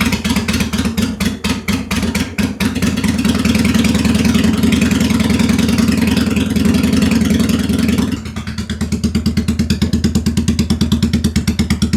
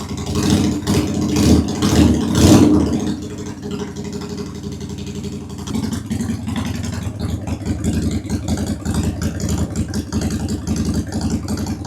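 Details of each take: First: 2001 Honda Shadow VT750 V-twin, first start after an oil change. Lumpy, stumbling beat; it keeps failing to restart and the rear cylinder smokes, suspected to be the rear carb dumping fuel into the cylinder. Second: 2001 Honda Shadow VT750 V-twin after carburetors rebuilt with new parts, airbox off, on reserve fuel: after throttle blips settles to a steady, lumpy beat with both cylinders firing; front cylinder seems to run richer; normal idle.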